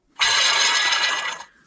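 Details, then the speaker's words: Removed factory Chrysler water pump, hand-spun, had been leaking coolant: a dry, gritty grinding rasp fades as it slows. The bearing is worn out and the shaft has up-and-down play; it is being replaced with a heavier-duty pump. "That bearing is toast in there. If you listen real close. So the shaft is moving up and down like that."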